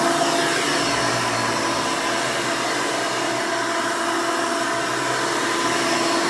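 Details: 1992 Hoover Elite II Total System Performance 650 U4689-910 upright vacuum, motor untouched since purchase: loud, steady motor roar with even pitch, no rattles or surging; owner says it runs very nice and smooth, normal operation.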